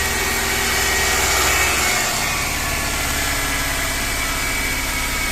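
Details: BMW M43TU engine knocking at revs and on cold start; rockers and hydraulic lifters replaced without fix. Runs smoother on three cylinders with cylinder 2 plug lead pulled, knock gone, pointing to a failed cylinder 2 rod bearing.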